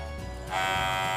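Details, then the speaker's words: Electric hair clipper running: loud, steady, wasp-like buzz with a harsh rattling edge over the motor hum; the fiber tongue holding the upper blade has come loose. "mungil kuat ya kayak tawon gitu itulah biasanya lidahnya yang sudah kendor"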